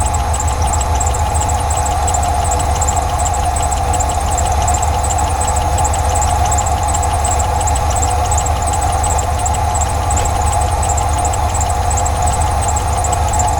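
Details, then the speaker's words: 1989 Ford F150 being revived, now running after a spray down into the intake: low, even idle holding a steady rumble with no stumbles. Normal idle. "Well, that did the trick. Take it up the house there and uh finish cleaning the garage out."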